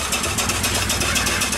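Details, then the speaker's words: Upright steam engine that sat for years, after repair, running on 25 psi steam: quick, regular slapping beats over the chuff that keep pace with speed. Two different belts with a twist are hitting each other; the owner can live with it. "you can hear a little bit of a noise i got two different belts on here and i got a twist so you're hearing the belt hit each other but i can live with that"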